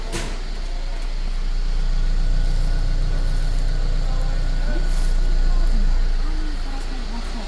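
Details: Mercedes M274 engine from Japan, about 52–53 thousand km, idling: steady, even low rumble with no knocks or stumbles; runs smoothly with no smoke; sounds healthy.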